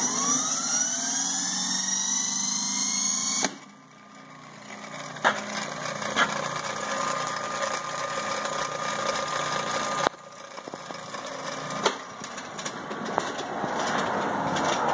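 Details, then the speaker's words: 1903 Century two-horsepower single-phase induction motor, frame P7, wired for 110V, from a table saw, stored for years: hum and whine climb smoothly to speed then coast down; runs well, slight rattle at rear bearing or starting switch on wind-down. "this is a good running motor nothing wrong with it that I know of it came off of a large table saw and was working when I got it"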